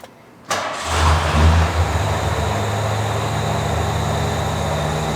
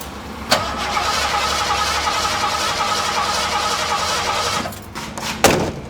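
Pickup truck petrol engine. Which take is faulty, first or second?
second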